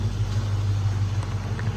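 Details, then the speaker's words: Chrysler 300C SRT8 Hemi V8 with 77,000 miles, recorded under the open hood at idle: deep, even rumble with a steady beat and no Hemi tick; valvetrain quiet and healthy. Normal idle. "this is where the engine really shines as you can hear there is no hemi tick"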